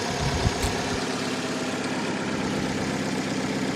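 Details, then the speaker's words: Salvage Dodge Dart at Copart auction; it now idles steadily and evenly with a low rumble, no knocks or misses; normal idle. "so it's hard to say for sure she runs well now that she's running"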